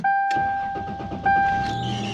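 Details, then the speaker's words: 1999 Toyota Tacoma 3.4L V6, all three belts already replaced: steady high-pitched squeal as the engine starts, fading soon after, from a failing AC idler pulley. Belt squeal at startup. "you hear that squealing and now it uh has gone away going to turn it off and turn it back"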